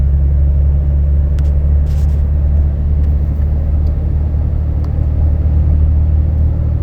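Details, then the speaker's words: In-cab, windows up, AC on, 70 °F: 2012 Dodge Ram 6.7 L Cummins diesel, deleted (no muffler, DPF or cat, EGR delete), undumped 4-inch turboback, H&S Mini Max stock tune, cruise 60–62 mph: low even road rumble, no booming drone; exhaust quiet, sounds stock. "And just real quick, as you can tell, there's no drone. I mean, this sounds stock on the inside with the windows rolled up."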